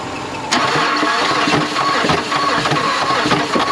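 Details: 2010 Mazda that arrived seized with a flat battery (about 7.9 V), now jump-started from another car. The starter grinds over in an even, labored rhythm for about three seconds with no firing; cranks but won't start.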